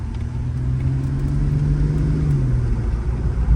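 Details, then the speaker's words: Infiniti Q50 Red Sport being rebuilt after a crash, driving: steady low drone with flat hum that barely climbs as pedal goes down; owner says it's in limp mode, no power under throttle. "this [ __ ] ain't spinning man all this [ __ ] [ __ ] in the streets right now [ __ ] on on T like T Lim mode right now"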